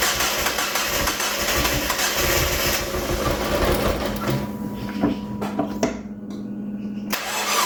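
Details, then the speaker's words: Freshly rebuilt 1.8 BP4W Mazda Miata engine, first start after a decade sitting: fires up then idles lumpy with wavering speed, running rough; codes showed unseated coolant temp sensor plug and missing knock sensor, roughness cause not pinned down. "I don't know why it was running so rough it didn't throw any codes for that usually if it's running that rough it's like the math isn't plugged in or the TPMS TPMS TPS isn't plugged in stuff like that"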